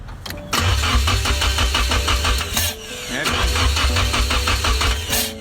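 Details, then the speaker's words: KA24E swapped into a Mk1 S12 200SX, first start attempts after swapped plug wires were corrected: two long even cranking bursts with no firing. The distributor was not correctly positioned at cylinder 1 TDC compression, so ignition timing was off; the rotor was worn. "i was checking to make sure it was on the compression stroke of the first cylinder by putting my thumb over it and then putting it to top dead center and look look at we have here this [ __ ] isn't the right way at all"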